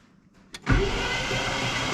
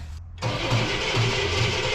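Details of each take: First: 1968 Cadillac Eldorado V8, sat 20+ years, cranking in park with spark plugs out: fast, even whirr, no binding or grinding; cranks freely, oil light goes out after about 5 seconds, good oil pressure. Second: 1968 Cadillac Eldorado with Quadrajet carburetor, sitting over 20 years, choke on: starter spins engine steadily at good even speed but never fires; has spark, weak accelerator pump suspected, points may need cleaning; cranks well, won't start.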